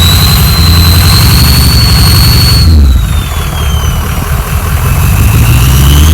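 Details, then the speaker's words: Ford F-350 diesel after a bad injector and a bad wire were fixed and an extra muffler was cut out: loud, even diesel rumble with a high turbo whistle sweeping down as revs drop; healthy idle. "a little sound teaser for all of you guys who love to hear the whistling of the the turbo whistling"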